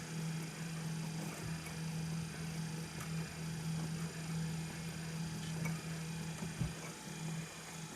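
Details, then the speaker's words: EPC RM400 speed control auger gear motor turned up during calibration: quiet, steady low hum holding constant speed, no grinding or clunks; nearly three pounds a minute output, fluctuating slightly with the magnets. Normal running. "now we can almost put three pounds a minute out a little over fluctuates a little bit with the with the magnets"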